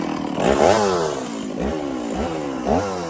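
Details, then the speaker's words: Stihl 024 chainsaw after carb tuning and makeshift aftermarket air filter, cutting firewood on forks; revs cleanly, pitch dips as chain bites and recovers, no misfire; sounds good up high, not missing much; normal under cutting load. "It sounds pretty good up high to me. Didn't sound like it was missing a whole lot."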